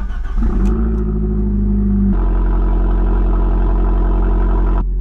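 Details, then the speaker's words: Abarth 595 Competition, crash-damaged front near side, full tank, started after purchase: starter catches quickly, strong even idle, smooth rev with a whistle at the end; normal start and rev. "that sounds amazing that does it's got a bit quite a whistle on the end of that lovely"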